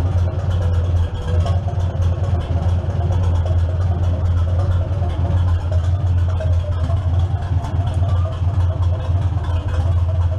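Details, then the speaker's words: 1947 Farmall M after belly pump service and clutch removal, first start: engine catches and settles into steady, even low idle, pump no longer making noise, no knock or whine; normal idle. "well the pump stopped making any noise which is good"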